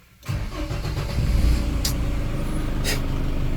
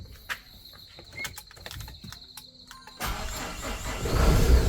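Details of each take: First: Tata Safari diesel (2.2 VTT 2011) before starter repair: clunk as starter engages, then slow uneven cranking into a rough catch; loose starter bendix drive and worn brushes, later repaired. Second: Tata Safari diesel at workshop during starter work: after fuel pump found not properly loaded/primed and corrected, short crank and prompt catch into a steady low rumble; battery not at fault, normal start.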